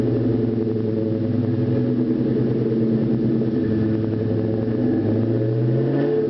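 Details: 2001 Ford Mustang GT V8 at startup: steady rumbling idle with a faint, rapid light knock carrying through a brief rev; bottom-end knock, owner suspects a spun rod bearing.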